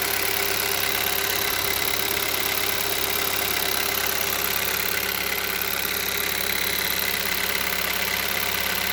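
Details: Hyundai Solaris 1.6 cold start: fast, sharp metallic ticking about three per second over engine hum at cold idle; engine knock when cold, cause unknown.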